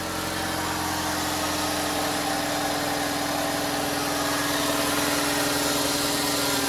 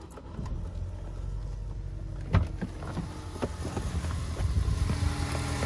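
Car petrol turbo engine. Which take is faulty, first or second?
second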